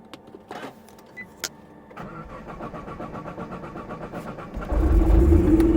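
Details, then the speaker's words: Nissan R35 GT-R in limp mode with warning lights on the cluster: cranks, catches and settles into an even idle pulse firming up, no knocking over the exhaust; engine start and idle. "But I'm going to show you guys that the car does run. My baby Shunar Bangla does run, but"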